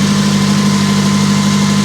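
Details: Auction vehicle: a steady, even idle hum with no miss, knock or tick; it burns a little oil (suspected valve seals or guides from sitting) and shows 15 volts (probably a failed regulator), but runs like a top.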